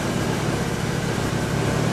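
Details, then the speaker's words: Nissan S14 after transmission removal for a clutch noise: steady, even low rumble with no chatter, squeal or rattle; clutch no longer making noise and working normally. "but the [ __ ] the clutch isn't making any more noises and it's working pretty mint"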